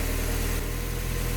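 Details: Warm engine idling low and steady with an even pulse, no knocks or misses, during the coolant-system test after a block gasket leak repair, with the automatic transmission fluid checked hot and near level; normal idle.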